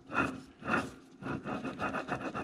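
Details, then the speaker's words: Gritty, dry rasping in bursts, about two per second, as a Polaris RZR Turbo front differential is spun by hand before its rebuild; the noise heard on the trail, from a worn diff bearing. "have better days that's what I'm hearing when I'm ripping down the trail and boy is it annoying keeps making me think my front disc and explode"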